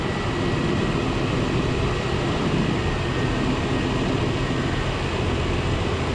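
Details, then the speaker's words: 1993 Chevrolet truck with 350 V8 throttle body injection, warm, in closed loop after thermostat replacement: smooth even rumble with no knocks, ticks or hunting, idle staying low and steady; normal healthy idle. "That old 350 sounds good through that float. Okay. Idle staying good and low."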